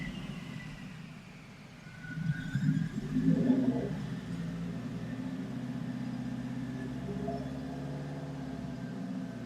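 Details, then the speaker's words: 2014 Subaru STI on a Link G4x flex-fuel tune: revs brought up slowly, the engine stumbles with irregular popping and uneven pulses over a rumbling exhaust; rich misfire, tuner suspects a Link ECU or firmware-update issue, not confirmed. "You can hear it. Rich misfire. I think it's a link issue."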